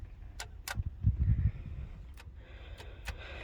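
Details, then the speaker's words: Ford F250 with 7.3 IDI diesel, engine off, hotwired under the hood: sharp dry clicks as a jumper wire sends power to the injection pump's fuel shutoff solenoid, pulling in normally to turn fuel on. "so that means that we're turning our fuel on in this engine will at that point run"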